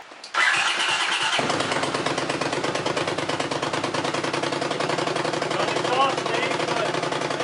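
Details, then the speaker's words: Honda CX500 motorcycle, first start after a spark fix (timing cam replaced) with transmission fluid put in the cylinders: short cranking, catches and runs fast and uneven with a busy rattle; possibly fouled plugs. "So, I did put transmission fluid in the cylinders. So, it's possible that that's going to foul out the plugs when I try to start it. But, we'll see what happens. It's liable to smoke."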